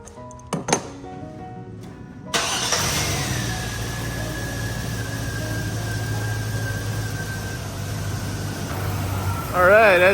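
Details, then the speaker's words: Chevy Silverado V8 at idle after replacing the exhaust manifold gaskets, manifold bolts torqued to 18 ft-lb from the middle outward: smooth, even idle with no ticking; normal idle, exhaust manifold tick gone. "right, as you can hear now, no ticking at all. Sounds way better."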